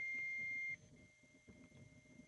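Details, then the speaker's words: 1958 Ever Ready Sky Leader radio after core trimming: clean steady high test tone holds under a second then drops to hiss, still heard at -57, better than before; IF strip still aligned. "I can still hear it it's NE 57 that's better than I did with it before so I think the if strip is still aligned"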